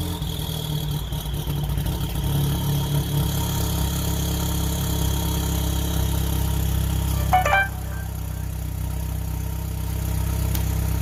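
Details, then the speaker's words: Gen1 Chevy Cruze 1.4T, Trifecta-tuned, after ZZP catless downpipe and mid-pipe install, stock exhaust, warm engine: steady smooth run with faint turbo whistle rising over the exhaust as it revs; healthy, normal start and rev. "I guess that was more of a warm start, but you can sort of hear the turbo in there a little bit."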